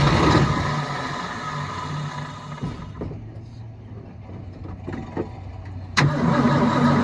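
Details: 1972 Ford F-350 auction truck, carburetor bowl hand-filled: catches and runs roughly a couple of seconds, then fades and quits; fuel pump not delivering fuel, so it starves.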